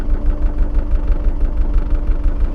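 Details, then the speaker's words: Porsche 914 on a road test after carburettor setup work, running through the gears with a dog-leg first; smooth, steady low burble with even pulses and no misfires, torquey, the carbs sitting nicely. "just listen to that that does sound nice doesn't it all the time setting carbs up has certainly paid off it just seems to sit really nice"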